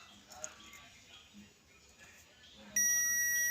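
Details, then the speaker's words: Toyota Hilux 2GD push-start with code P0504 that won't start: a multimeter continuity test on the brake switch's ECU-side pins, pedal pressed and released, gives quiet handling noise then a clean steady beep; continuity beep, switch good. "When it is depressed, when it is relaxed, when it is depressed, when it is relaxed. So meaning the switch is okay."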